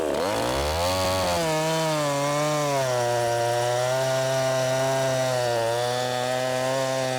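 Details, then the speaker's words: Ported 50cc Echo CS501P converted to 3/8 chain on a Sugihara bar, pushed into a log: screams up, dips and holds a strong high pitch without bogging; healthy under load. "I'm pushing. You can hear it. I think it's either four stroking. It's either four stroking there or hitting the stroke limiter. But it's definitely doing something."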